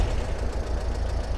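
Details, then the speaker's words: 1955 Porsche 356 Pre-A Speedster with Zenith carburetors at a low, lumpy idle with irregular stumbles on a shakedown drive; sounds like a cylinder dropping out, owner checks spark plug wires then carburetors; cause unconfirmed. "Okay, so it sounds like we lost one of the cylinders."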